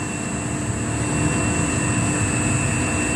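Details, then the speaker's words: Three-phase motor on an NFlixin 1.5 kW VFD (220 V single-phase in, about 372–380 V three-phase out) as the frequency is raised: a steady, even motor hum with a constant high drive whine and no roughness; running normally. "Jalan mutar pada frekuensi 2. Ini 2 frekuensi, 2 hasil. Nah, 2 putaran per detik."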